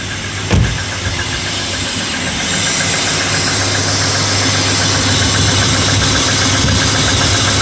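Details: BMW E34 M50 inline-six cold start on a winter morning around +2°C: fast idle with a slight rapid hydraulic lifter tick that fades as oil pressure builds.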